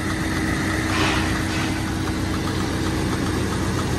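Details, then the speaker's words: Jeep XJ project engine running for the first time, smoking heavily from the catalytic converters: loud uneven idle with a lumpy, stumbling beat; owner suspected a slight miss, later traced to an unseated coil pack and a dead injector. "but it's alive might have a slight miss i don't know"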